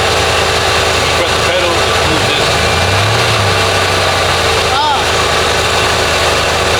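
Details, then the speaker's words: Lincoln Town Car (OBD1, no code) after idle control valve replacement: steady, even low idle around 800 rpm with no hunting or surging, versus the previous too-high idle near 2000; idle speed sounds normal. "So see that was way too high before was like a two grand probably like at 800."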